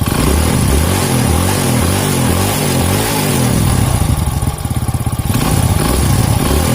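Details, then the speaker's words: Rebuilt Honda Grand engine (FIM piston, Shogun valve springs, Win 100 camshaft, stock carburetor/intake), revving: exhaust beat stays crisp and even, no tapping or rattle; slightly more power than stock, runs smoothly. "lumayanlah Ya lumayan daripada standarnya ini rasanya kalau gresini ia lumayan tenaganya naik sedikitlah"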